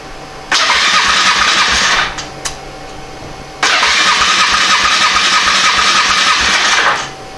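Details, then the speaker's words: Polaris Magnum 425 liquid-cooled 4-stroke ATV, not run for 3 years, compression test cranking at wide-open throttle with oil in the cylinder: two bursts of fast, light starter cranking; a little above the earlier 60 psi, possibly worn out, not confirmed. "It's like we have about 60 pounds. Which isn't a lot."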